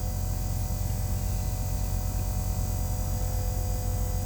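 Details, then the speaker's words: Kenworth diesel truck unused for a long time, new fuel lift pump priming with engine off: constant low electric buzz at one pitch; owner says it sounds stronger than the old pump and will start once it stops; normal priming. "The lift pump sounded a lot stronger than the old one. It sounds much hyper. Alright, when it stops buzzing, then I'll go ahead and start the engine."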